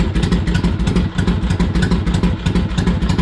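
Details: Harley-Davidson Ironhead V-twin, cold, just started after pushrod adjustment; loping uneven beat at steady idle, about three pulses a second, no top-end knocks or rattles: normal idle.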